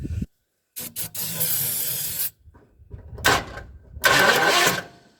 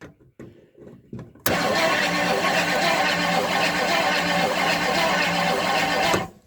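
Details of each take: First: 1958 Edsel being revived after being freed from seizure, with remounted solenoid, spark confirmed, carburetor not yet fitted: short cranking bursts with ragged chugs that catch briefly then die; engine won't keep running, owner suspects ignition timing way off. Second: 1958 Edsel after solenoid remount and shorter, better-quality starter cables: after a few clicks the starter spins the engine at a strong, steady, even rhythm with no dragging; normal healthy cranking, not yet started on the key.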